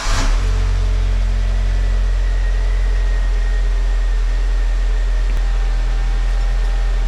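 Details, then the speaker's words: 2002 Audi A4 1.8T started after replacing the cam chain tensioner seals and slides: quick crank and catch, then a smooth, even idle with no ticking or rattle. A cylinder 1 misfire code was cleared, possibly from cranking to oil the cams. "Well, got it all back together, and just to prove that it all worked, start it up so you can hear it."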